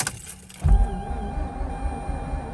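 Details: 2004 Mazda RX8 6-speed manual sat two years, battery around 12.6–12.7 V with jump box boost: click then low irregular churning as starter turns engine briskly but it never catches; crank no start.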